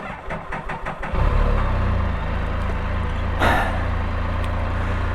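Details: Can-Am Spyder RT Limited started again after an earlier problem on startup: a few quick cranking pulses, then it catches cleanly into a steady, even idle. The earlier fault does not recur; normal start.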